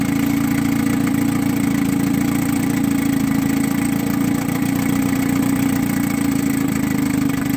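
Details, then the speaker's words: 1959 Gale-built Sea King 5 hp outboard, tuned up after buying non-running, in test tank, shifted through reverse: even putter about four beats a second, no misses or knocks; side cover and tractor bucket rattle, engine itself sounds good. "but actually the engine itself sounds good."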